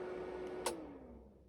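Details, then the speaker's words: 5.1 digital amplifier being muted with speakers connected: a single crisp click as the relay drops out, then the hum, including the cooling fan, fades to silence. Only the relay sound is heard; normal mute relay action. "ఇప్పుడు చూడండి only మీకు relay sound మాత్రమే వస్తుంది. And mute కూడా"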